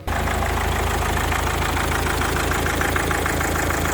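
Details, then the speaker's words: 2004 Mazda 6 2.0 MZR-CD diesel after the replacement engine was installed, started before antifreeze was filled: even, steady, quiet diesel idle with no misses or hunting, judged running perfectly. "Ну, прекрасно працює. Прекрасно, тихенько, чтко, влучим."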